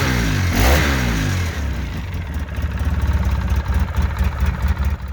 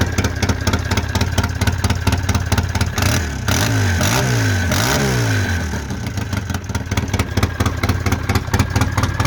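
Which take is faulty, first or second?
second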